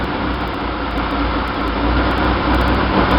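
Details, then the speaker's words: 1966 Chevy van 230 straight six, Weber 32/36 2bbl on stock 1bbl manifold via adapter, in neutral: fast loud idle while the choke is adjusted, louder with choke closed, calmer opened; high idle likely from a vacuum leak at adapter gaskets. "This is adjusting the choke. It's not loose right now. If you close it, it sounds louder. If you open it more,"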